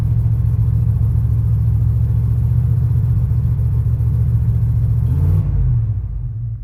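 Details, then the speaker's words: 1991 Chevy Silverado V8 just started, gas held down: deep, steady rumble at raised revs, then sags and dies as throttle eases; won't idle without throttle; suspected leaking exhaust headers. "I'm still holding the gas down. I don't think it's going to idle yet."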